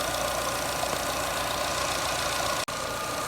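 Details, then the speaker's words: Jeep Renegade 1.8 E.torQ idling, engine running while checking the purge (canister) valve, suspected cause of rough idle and hard starting; valve can't be felt working over engine vibration. Steady idle hum with faint whine, no distinct purge-valve clicking; normal idle. "é motor ligado e tudo ó e não dá para sentir ela trabalhando né tem muito mais coisa sacudindo e trabalhando do que ela"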